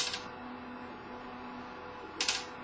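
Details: CTC 3D printer while printing: quiet motor whir with two sharp knocking clacks about two seconds apart as the head moves. The sound comes from the printer's top right corner; cause unclear.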